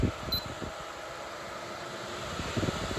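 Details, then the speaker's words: Air purifier (Ecoself vs Jafanda comparison) on fan speed 3, its highest and loudest setting; steady airy rushing hum with no rattles or scraping, constant throughout, fan running normally at top speed. "And as you can see here, we're on fan speed 3. It is now the loudest fan speed, but it is also working the hardest to be able to clean the air in the room."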